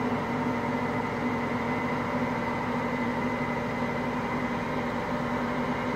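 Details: Hotpoint Aqualtis washing machine, bearings just started to go today: constant low roar with a steady droning hum throughout the spin, no knocks; drum bearings beginning to fail.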